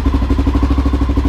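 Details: 2000 Honda XR650L, first start after a TM40-6 carburetor was installed, in the cold at about 40–45°F and warming up: an even, thumping single-cylinder idle at about ten beats per second. It idles normally, though the idle still needs adjusting.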